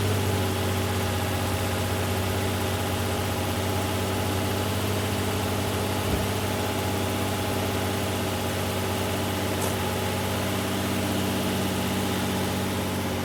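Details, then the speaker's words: 2008 Infiniti G35 after cleaning both throttle bodies (fixing low idle and cold-start stalling in reverse): steady, smooth idle with no hunting or misses, running smoother right away; idle relearn may be needed. "the car is uh running smoother just right off the bat"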